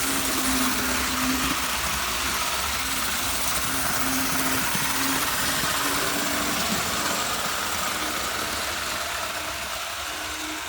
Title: TYCO Green Thing! Test Run of Burlington Northern GP-20 after repairs